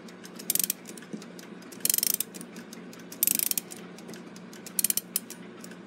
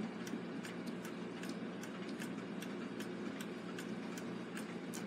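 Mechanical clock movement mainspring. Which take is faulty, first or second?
second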